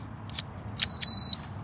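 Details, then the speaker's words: Short, high, clean beep as batteries are fitted and power connects; the gate system is powering up normally. "positive up which is obviously a little nib on the top of your battery it says positive right there as well if you can see that maybe and we should get a beep and some lights come on"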